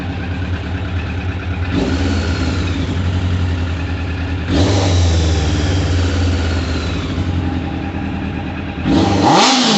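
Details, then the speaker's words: 1998 Suzuki Katana 600, warming up with choke off: clean, crisp throttle blips rising and falling smoothly, no misfire, stumble or rattle; owner wants it slightly richer and may raise main jets; normal revving. "sounds good looks good I'd like to see a little black smoke I like to have them a little bit on the ridge side"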